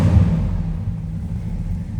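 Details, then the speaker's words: 1959 Ford Fairlane 500 Club Victoria just started in park: deep, steady low rumble with even exhaust beat, no knocks or misses; healthy idle, nice deep exhaust note. "Nice deep exhaust note."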